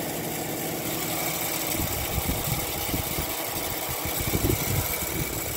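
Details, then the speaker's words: Emerson Quiet Kool window air conditioner, vandalized and very loose, fired up with compressor running: steady hum with irregular rattling ticks as the fan strikes something; the contact point is not yet found. "i don't really see what the fan is hitting up against here"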